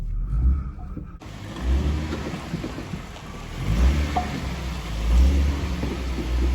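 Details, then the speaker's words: 2011 Ford Mustang creeping in and out of the shop over small bumps: dull low thumps every second or so from the front suspension; worn front struts suspected, sway bar end links also found bad. "Sounds like it's coming from the front, and when I shake the front, you can really hear it up there."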